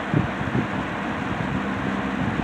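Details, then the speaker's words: C&H Whizzer 20-inch box fan with replacement motor swapped from another fan, on high speed; steady air rush over low even hum, no rattles or scraping; normal operation. "It's basically the same thing. The high speed is is uh it's really not that different."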